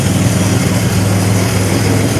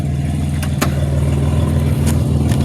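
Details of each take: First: '07 Grand Prix warming up at idle after a power steering fluid top-off: a steady, even low rumble with no knocks, ticks or misses; it is running normally, though a check engine light remains (suspected PCV). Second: 2007 Pontiac Grand Prix at idle, warm after a few highway miles, transmission temperature 179 and coolant low: deep steady rumble with a fast, regular puffing tick; an exhaust leak needing a new gasket.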